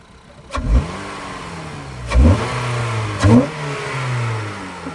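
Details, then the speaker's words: 9th-gen Honda Civic Si, warm, with a newly installed intake (airbox removed, intake loosely placed): three quick throttle blips rise and fall cleanly back to a smooth idle, no hesitation or odd noise; normal revving, sounds wicked. "Yo, it sounds wicked. All right, proper."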